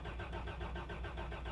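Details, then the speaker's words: 1989 Toyota Land Cruiser barn find, sat about 8 years, few gallons added: starter cranks at about six pulses a second, never fires; oil pressure rising but no fuel pump heard, owner suspects dead fuel pump. "I don't hear the fuel pump running, which is not surprising because I always have to put fuel pumps in things."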